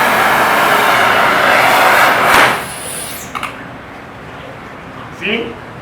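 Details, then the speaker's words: Powercraft Harris-type cutting torch attachment, with fuel shut off while the oxygen is still on. A loud rushing hiss that cuts off abruptly is flashback pressure moving back into the attachment; the hose is the weakest point and could explode. "pressure uh you can hear the hissing sound when the pressure is moving back to the attachment"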